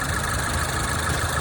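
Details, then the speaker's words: 2014 Range Rover Evoque after cooling fan control module replacement, idling with AC on, hood open: even idle with steady fan whoosh, no ticking, grinding or scraping; cooling fan running properly. "See that blade turning? That blade spinning, it's good to go."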